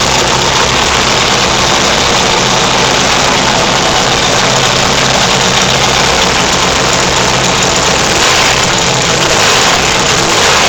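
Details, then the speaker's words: Turbocharged, fuel-injected XS650 twin on MegaSquirt at first start-up on a very poor tune; loud, ragged, uneven running with unsteady firing and heavy exhaust roar. The fuelling is far off. "Uh, it runs and that's on pretty much the worst tune known to man."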